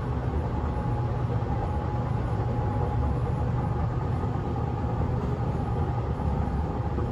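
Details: Riding inside a nearly empty 1991-built S-Bahn Berlin BR485 railcar 485 112-7 on the S8 between Schönfließ and Hohen Neuendorf at speed: heavy low rumble and a pounding roll from a severe wheel flat spot, rattling more than usual.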